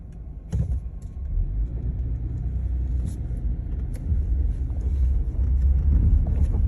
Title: Gladiator mojave grinding and knocking noise??